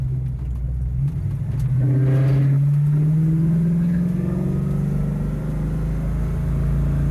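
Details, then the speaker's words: 1969 Ford Mustang with C4 automatic, cruising around 35 mph: engine note climbs and drops in steps as the transmission keeps shifting up and down; gear hunting, worse as transmission heats up, cause not pinned down. "y you hear that it just keeps like it just keeps shifting which is real Annoying on short drives it's not bad I can deal with it but when I'm in the car for 3 hours and it keeps doing that it seems to get worse as the engine heats up"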